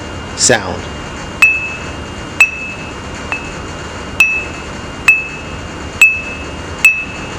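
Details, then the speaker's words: New bench grinder wheel ring test, tapped lightly with non-metallic tool at several places: each tap gives a clean, sustained bright ring with no dull buzz; wheel passes, no chips or cracks, good to reinstall. "you want to give it a light tap on several places around the wheel and you should hear a nice clear uninterrupted"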